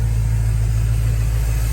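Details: 1966 Ford Bronco, 351 V8 with Holley fuel injection, C6 automatic, dual exhaust and electric in-tank fuel pump, warm at about 200-209 degrees: deep, even V8 burble at idle, steady and smooth with no misses or knocks, a healthy-running engine.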